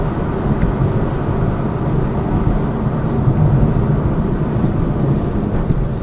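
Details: Lada Vesta Cross with AMT 2.0 robotised gearbox, full load, driving rough road, rail crossings and bridge joints, head-mounted camera; after replacing the front shock struts, stabilizer and engine mount the suspension knock is gone, only road and tyre noise.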